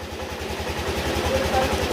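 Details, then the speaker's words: Yamaha Aerox 155 scooter after engine overhaul, sensors, throttle body and magneto refitted, coolant added, aftermarket TPS, check engine light on: quiet idle with a soft regular thump about twelve times a second, no knocking; healthy idle. "Ayan, tahimik na tahimik. Yung narinig yung tok-tok-tok, kumaganon, slider piece."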